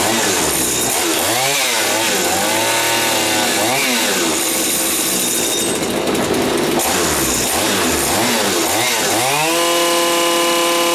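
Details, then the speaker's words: Stihl FS80 trimmer two-stroke, warmed up before compression retest, previously retired for unknown fault: crisp buzz climbing and falling cleanly through blips, then steady high rev; running really well. "actually seems to be running really good I don't know why I retired it now but something was wrong with it"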